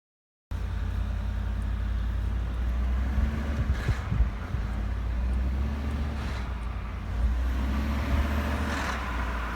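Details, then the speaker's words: 2018 Ford F-150, 5.0 Coyote, cold engine: steady low drone with short irregular rattly bursts when lifting off the throttle, located by microphone at the VCT solenoids on the top end; rattle on deceleration, cause unconfirmed. "it does the rattle on deceleration problem it's where the engine is cold and you push the gas wet off the gas and it makes a r sound on the vct solenoids"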